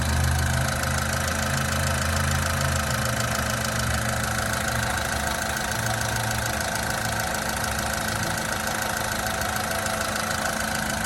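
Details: 2000 Honda Civic VP at 114,000 miles, timing belt done, idling smooth and even with a light steady patter, no knocks or misses, like a little sewing machine; normal idle.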